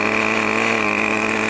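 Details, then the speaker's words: Brand-new OS 40 FP glow engine on a PT-40 RC airplane, ground break-in at full throttle: steady high-pitched buzz, slightly soft and blubbery; running rich, needle valve to be leaned out progressively. "we're going to take it up to full throttle now and you'll hear it's kind of rich from the sound"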